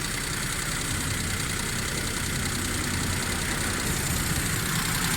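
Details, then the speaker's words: Daihatsu Cuore carburetor engine, rich and smoking black, using too much fuel, carburetor tuning bad, louder than normal: uneven idle with irregular lope, no steady rhythm; rich running from badly tuned carburetor. "थोड़ा थोड़ा black smoke भी छोड़ी है गाड़ी। Fuel बहुत ज़्यादा गाड़ी ले रही है। इसका कारपेटर ट्यूनिंग ये सोन है, सारा कुछ ख़राब है।"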